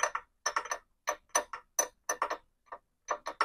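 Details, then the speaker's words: SYM VF3i scooter front wheel turning, no engine running: dry clicking in uneven clusters as ball bearing inside the rim has broken up, letting shaft and spacer rub; broken front wheel bearing to be removed. "bunyi keadaan jantung memang menandakan kita punya kita bearing dalam kita punya Spot rindu dah pecah"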